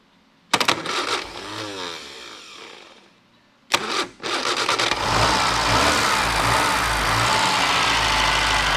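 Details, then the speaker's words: Mini Moke engine bench-tested at operating temperature after re-gapping wide points, no water in oil: two kick attempts give a brief cough, then it catches and runs steady and even; ignition fixed, carburettor still suspect. "Well, it's no longer electrical, it's fuel now, so job is done."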